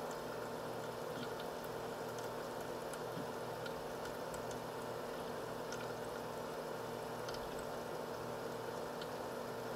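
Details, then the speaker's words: H220 liquid CPU cooler pump running steady at 2947 rpm, near max, with no case or radiator fans so coolant and reservoir are warm; soft steady whir with light water trickle, no grinding or rattle: normal pump run. "now it's running at a steady 2947 rpm it's pretty much maxed out right now"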